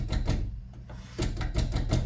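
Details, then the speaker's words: 2023 Chevrolet SS Camaro door, inner side treated but outer skin untreated with CLD: dull taps with short metallic buzz after each hit; door panel rattle needing damping. "Even though we've treated the inside, hear that rattle? Yeah, stuff like that."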